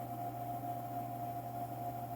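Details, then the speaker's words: Solar inverter running after main board (motherboard) replacement, no error shown. A smooth, steady electrical hum with an even higher whine and no buzzing or clicking. Normal inverter hum. "this one is not giving us any error so far and it sounds like it's working good"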